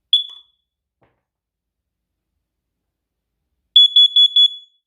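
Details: First Alert carbon monoxide alarm after battery change, test button pressed: one sharp high chirp then four loud shrill beeps in quick succession; alarm sounding normally.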